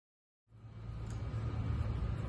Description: this is a Polaris outlaw 110 EFI four wheeler that wouldn't crank only click the brushes in the starter were stuck so I took it apart and fixed it and put it back together